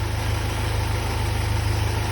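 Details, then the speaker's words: Freshly rebuilt Land Rover 2.25 petrol engine on its first run, oil pressure good: a low, steady idle with an even firing pulse and no top-end noise. A separate rattle comes from the exhaust. A normal, healthy idle. "Top of the motor sounds good. Well, doesn't sound at all, which is good. Got an annoying rattle coming from my exhaust somewhere, but motor itself sounds good."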